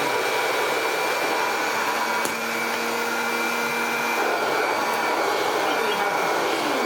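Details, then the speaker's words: Hoover Junior 375 upright, 1950s–60s, stored for decades, after a new cable and the start of restored airflow: a steady motor whir with airflow hiss but no brush slap. The brush roll is still not spinning. "problem is we still don't have any spinning brush roll action."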